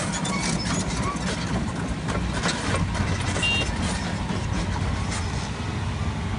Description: Turbocharger Failure Volvo EC240BLR Long Reach Excavator